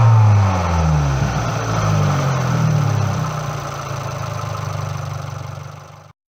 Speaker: there are sudden changes in valvetrain rhythm as you move up and down the rev range this is closed by the multi-unit changing modes in this case from late intake valve opening to full lift at about 3,000 rpms